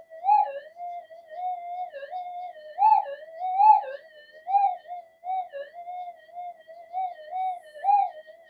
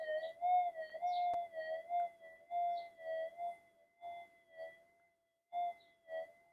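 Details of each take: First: Metal detector on upgraded GPX-5000-type boards in mono mode, no noise-control or frequency changes: wavering mid-pitched threshold tone swelling and dipping randomly, target lost in the noise; the coils are not properly balanced. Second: Pulse-induction metal detector on redesigned GPX-5000 upgrade boards, bench demo at about a third gain through the speaker, coil swung over a target: clean steady warbling target tones with no hiss or crackle; circuitry balanced, no noise.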